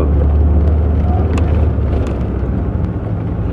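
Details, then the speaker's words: 1984 Corvette 4+3 manual, after sitting most of two years, stopped after a drive: steady idle without rpm fluctuation, which was fluctuating before fuel injector cleaner was added (owner suspects a fuel issue); normal idle. "uh it's idling at 9000 rpm steadily no fluctuation in the rpm"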